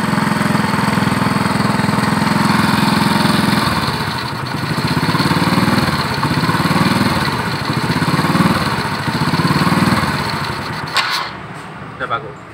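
A small single-cylinder fires evenly and keeps running, with a few gentle blips in speed; the ignition is working and the engine is healthy.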